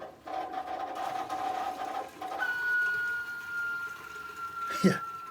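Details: LG WT7300CW top-load washer drain pump whining loudly while draining, steady tone jumping higher then sagging; clog suspected, later a small zipper piece found lodged in the pump.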